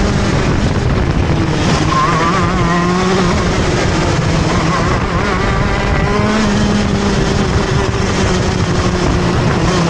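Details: TM Racing KZ-R1 two-stroke go-kart engine screaming around the track; pitch sags and stumbles at times pulling out of turns: engine bogs on acceleration out of corners.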